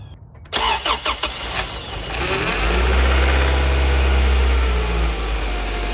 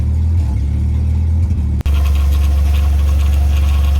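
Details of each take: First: 1990-93 Honda Accord with an H22 Prelude engine swap, started while steering left and right: a deep droning groan that swells and fades; power steering pump groan caused by a constriction in the power steering hose. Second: H22 Prelude engine swapped into 1990-93 Honda Accord, after throttle cable reset; previously bouncing 1100-1300 rpm, now deep, steady idle around 800-900 rpm with no hunting or surging.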